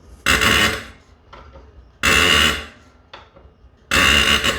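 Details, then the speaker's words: 12-valve 1st Gen Cummins injector being rebuilt, on a pop pressure tester: three sharp hissing bursts about two seconds apart as the tester is pumped, crisp even spray chatter, so the injector is working properly. "It's a bit subjective, but if you find a bad one, it might sound different than all of your other injectors."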